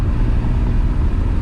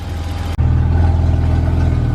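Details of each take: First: BMW E34 535i, M30B35 straight-six, first drive: floored at low rpm the deep drone surges and stutters unevenly instead of pulling cleanly, also stuttery in third gear; stumbling under load. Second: BMW E34 535i, M30 B35 inline-six, first start: a deep, steady, throaty idle with an even low beat and no stumble, hiss or tapping; runs smoothly with no vacuum leaks.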